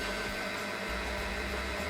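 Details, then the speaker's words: Stump grinder tooth sharpener (Red Roo Red Tooth) grinding a worn tooth with coolant, extra weight added to the handle: steady motor drone with constant grinding hiss, deepening slightly as it works harder; normal operation under load. "Now this tooth had a fair bit of wear, so I'm going to add the extra weight to our handle. You can hear the machine working slightly harder."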